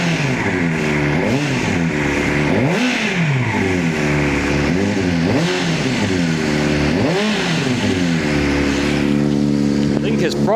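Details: 2005 Honda CBR600RR, just started after battery went dead and was recharged overnight, fuel pump primed: revs repeatedly sweep up and down about every second, never settling to steady idle; high revs, throttle suspected sticking.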